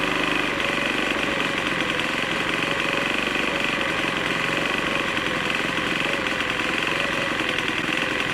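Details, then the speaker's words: Troy-Bilt TB4HB EC four-stroke leaf blower, unstarted 4–5 years after being put away running poorly; just started on full choke after priming: harsh, buzzy note wavering and stumbling, running really rough. Air breather found loaded with oil via crankcase overflow tube; compression suspected leaking past rings. "Okay, sometimes things just don't go the way you plan. After we got this started, it was running really rough."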